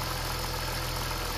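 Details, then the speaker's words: BMW M54 petrol engine at idle with the oil filler cap refitted: a steady, even idle with no misfire. Taking the cap off causes misfiring, which shows the crankcase breather is sealed and working. The engine burned over 1 L oil/1000 km before its breather was replaced. "Jak tylko go przyłożę, jak tylko przyłożę korek, silnik zacznie znowu równo pracować."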